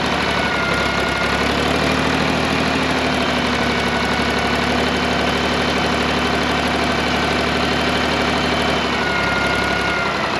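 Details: Old John Deere 350B crawler dozer diesel, start after loosening the injector lines to confirm fuel at the injectors: catches and settles into a steady, even low rumble with no misses or knocks; normal running.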